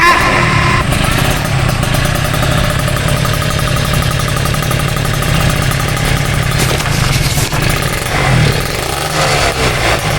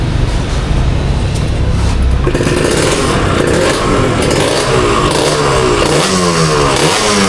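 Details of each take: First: Old Kawasaki Ninja RR two-stroke after fitting a stainless-header exhaust: full, crisp exhaust note that holds steady and rises cleanly with throttle, no longer thin or tinny. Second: Old Kawasaki Ninja RR two-stroke, revving: raspy, tinny note with a thin crackly edge; the lacking sound is traced to a leaking exhaust header joint, which is to be replaced.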